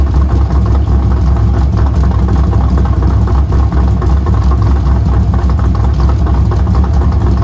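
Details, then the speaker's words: Pontiac GTO V8 after replacing a bad IAC valve: steady, even low rumble with no misses, knocks or hunting. Smooth, normal idle after the repair. "all right so at least we can confirm that the IAC was bad so here's the part number um we'll see if this lasts but at least now she runs"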